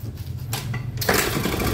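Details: Honda Vario 110 carburetor scooter, freshly rebuilt after a late oil change damaged the piston, hard to start and won't idle: a brief labored kick-start, then it catches and revs unevenly; smoke comes from the breather hose, pointing to low compression.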